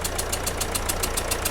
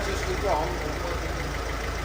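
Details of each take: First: 2010 Mercedes Vito, OM646 diesel at idle, carbon removed, before repair: sharp, even puffing ticks about seven a second over the idle, combustion gas chuffing past two failed injector seals. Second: 2010 Mercedes Vito, OM646 diesel, after replacing two leaking injector seals and cleaning the carbon: steady, even idle clatter with no puffing or ticking leak from the injectors; sounds healthy.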